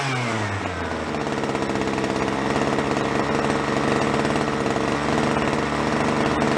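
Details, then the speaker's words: Small two-stroke string trimmer (free roadside find), idle speed turned down, carb richened on both high and low needles: buzzes steadily with a soft uneven stutter, slightly rich four-stroking as wanted, no stumble when throttle is hit. "i kind of want to get at the four stroke it means it runs a little on the rich side but i went even richer on the on the low"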